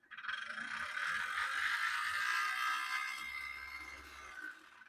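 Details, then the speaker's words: HO scale Athearn Bluebox Burlington Route GP35 locomotive, previously seized, first power test, now starting to move. A harsh, scratchy grinding with a fast uneven rattle points to a drive line fault. The owner suspects one truck turns and one doesn't, not confirmed. "That really doesn't sound good. So, I'm thinking maybe one of the trucks is moving. Maybe one of them isn't. Whatever is going on, there's definitely something wrong with the drive line of this model."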